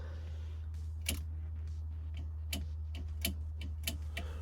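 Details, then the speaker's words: Turbo LS-swapped Caravan with 4L80E, transbrake relay bench-tested from a laptop with the van not running: crisp single clicks, about five in four seconds, over a low steady hum; relay pulls in cleanly, working. "so it sounds like the relay is working let's try this"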